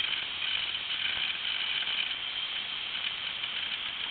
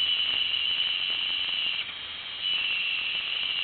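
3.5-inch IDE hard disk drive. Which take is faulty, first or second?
second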